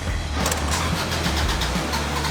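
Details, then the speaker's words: Acura Integra cranking but not starting after battery relay fix; steady, even cranking chug with no firing. Suspected no fuel or spark; fuel lines being checked. "It sounds like we're not getting fuel or spark. So right now we're checking out the fuel lines. We're seeing if we're getting fuel from the pump into the car. Car's cranking. Doesn't wanna start."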